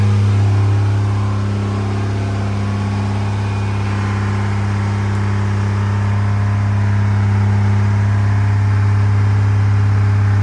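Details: Freshly rebuilt 2nd-gen Cummins diesel during break-in, after plugging in the camshaft position sensor: deep, steady drone with even firing at about 220 pulses a minute and no knocks or misses; normal running.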